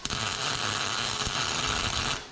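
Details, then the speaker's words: MIG welding during repairs on a 1961 Chevy wagon; the welder may be set a little too hot, and trash is being pulled out of the metal. About two seconds of loud, harsh crackle and hiss without an even sizzle. MIG welding too hot. "may have her cranked up a little too hot yeah pulling trash out of that metal is what we're doing"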